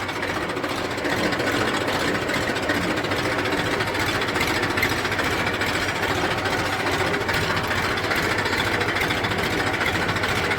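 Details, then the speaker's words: Massey 1035 diesel tractor after gearbox repair with reverse and first gears replaced, backing up in reverse: even engine clatter, no gear whine or grinding; reverse now runs quietly, normal. "कोई आवाज़ नहीं है।"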